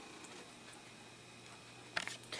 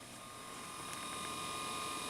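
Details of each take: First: IBM IntelliStation E Pro PC starting up with a boot-manager floppy inserted: quiet hum, then a short burst of quick mechanical clicks and chatter as the floppy drive heads seek; normal healthy floppy seek. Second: IBM IntelliStation E Pro hard drive during Windows 98 install: fast uneven ratcheting and clicking thrashing over a steady whine while still working; cause unclear.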